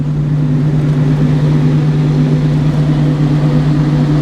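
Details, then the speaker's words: Sawmill engine at startup, just before sawing an oak log with a new sawblade: steady low drone that stays flat and doesn't climb; motor slow to come up to speed. "Sounds like we got bus motor didn't want to get up here."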